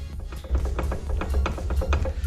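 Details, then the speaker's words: Polaris RZR XP 1000 transmission, opened to repair a broken output shaft, while setting backlash: light uneven clicks as the shaft is rocked back and forth, a low hum underneath, from play between pinion and output shaft gears before reaching zero backlash. "So we're almost there, and there's some backlash there, as you can hear."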